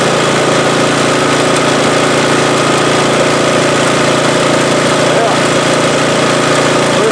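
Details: MTD-built snowblower after swapping in an engine from another junk machine (original had no compression), primed and pull-started, cover off: single-cylinder engine runs steady and even, no miss, knock or surging; running good.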